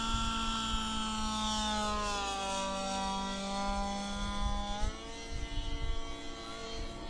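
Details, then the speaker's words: Warmed-up gas RC helicopter engine, carburetor near optimum setting, full collective eased in: steady buzz dips briefly under load then recovers, running clean and climbing; normal running under full load. "could hear that once I fed in full collective it was running real nice and clean we're gonna do that again this is pretty close to an optimum setting on this engine"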